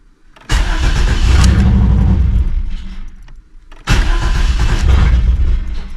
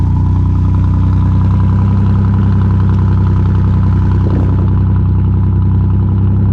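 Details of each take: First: 1988 Camaro RS that sat over a decade, new fuel pump installed; two bursts of steady cranking about three to four turns a second, never catches; owner suspects fuel pump stopped or something dirty; crank no start. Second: 1988 Chevy Camaro RS that sat over a decade, first start after fuel system overhaul, fuel pressure confirmed. Steady even V8 idle, smooth low rumble, no knocks or misses; normal idle.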